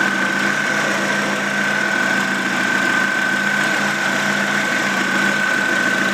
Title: Exhaust leak :/